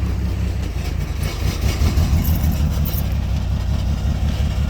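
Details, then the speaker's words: $300 auction car with taped exhaust. Low, uneven thumping at idle, stumbling and bogging; owner says it sounds more like exhaust than motor but the engine has a miss and is shaking. Rough idle, cause unconfirmed. "See, when it boggles down, it sounds more like the exhaust than like, to me. It sounds more in the exhaust than in the actual motors. The motor's got a miss in there."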